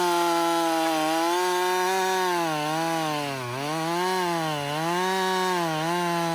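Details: Husqvarna 562XP chainsaw, back from a dealer reflash for dying when hot, not starting and stumbling. A clean, steady scream dips in pitch as the chain bites and recovers at once. It runs normally under load.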